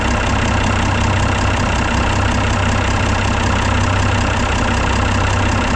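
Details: Mack silage truck diesel after installing new Dynatard engine brake solenoids and gaskets, front valve cover on: loud, steady clatter at a fast even beat, no misses or metallic knock. Normal running.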